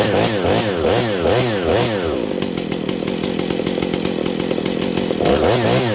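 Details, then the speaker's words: Husqvarna 268 chainsaw with lean condition, idle lowered so chain stops: revs rise and fall then settle to idle with light irregular metallic jingle from a worn clutch. "that's a worn out clutch it's not too jingly but here you guys can notice that okay uh the clutch is a little worn on this"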